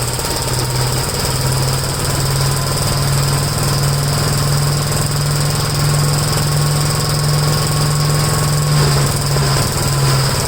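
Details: Gravely tractor with brush hog mulcher deck remounted, PTO engaged, blades spinning: deep steady engine drone, running smooth with no vibration or rattle; normal running.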